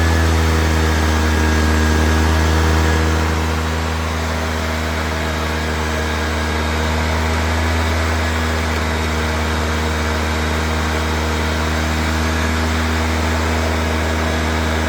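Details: Honda EX350 inverter generator started after sitting a while, with some fuel in, switched to high output mode after reading 129 volts and 58.6 Hz: a steady, even drone with a slight early dip, then it holds speed without misses or knocks. It runs fine.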